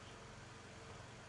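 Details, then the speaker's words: 2012 Toyota Corolla 2.0 with check-engine light and cylinder misfire code, new spark plugs, faulty ignition coil found via ignition waveform: low, steady idle hum with even beat and no stumbles; engine not misfiring at this moment. "o o motor não tá falhando e eu vou explicar aqui para vocês o seguinte"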